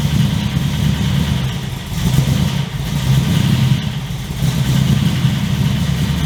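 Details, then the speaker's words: 355 stroker V8 in HX One Tonner, second start after 11-12 years stored, shotgun mic walk-around, loud aftermarket exhaust: deep, lumpy burble pulsing steadily with small swells, nice growl, no knocks or ticks: normal idle. "Okay, so really happy with how that runs and how it sounds. So I think the exhaust from Repco Engineering sounds amazing. I'm really happy with that sound. It's loud, but it's not over the top obnoxious loud. It's got a nice growl to it. The idle is nice and tough as well."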